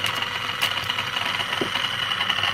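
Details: EBM-papst M4Q045-CA01-09 shaded-pole fan motor (230 VAC, 1300 rpm, sleeve bearings) from a Frico heating fan: rough rattling whir with a thin, high ringing whine, and then it stops; shaft has play. Suspected worn sleeve bearing.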